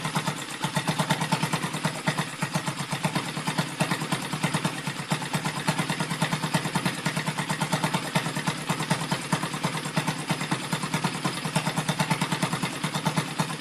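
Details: Rebuilt Yamaha Vega (Crypton) single-cylinder engine with balancer, running on the bench without a frame after a rebored cylinder and a larger carburetor: idle about three beats per second with light gear whir and clatter from the top end; the builder identifies balancer gear noise.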